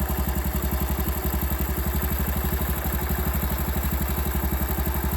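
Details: Honda Super Cub idle after replacing the cam chain tensioner roller (clutch and crank checked fine): an even single-cylinder putter, about four beats a second, with no clatter. The noise is nearly gone.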